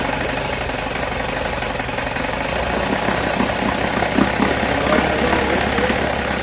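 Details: 1977 Johnson 9.9 electric-start outboard, unrun for about 10 years, after spark and compression checks and carb cleaning, in a water-filled tank, on choke: first start catches and keeps running at a fast, slightly uneven idle; healthy.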